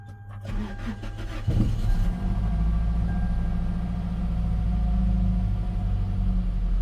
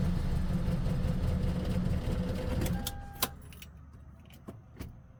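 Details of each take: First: Gen 7 Toyota Celica just after replacing the fuel pump, filter, pressure regulator and sock: about 1.5 seconds of cranking, then it catches and settles into a steady deep idle; owner thinks it is relearning fuel trims. Normal cranking and start. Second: Gen 7 Toyota Celica before fuel pump replacement, had cylinder 1 lean misfire and lost fuel trims after battery disconnect: chugs low and unevenly for a few seconds, then dies to clicks; owner suspects fuel pump, unconfirmed. Rough running and stalling.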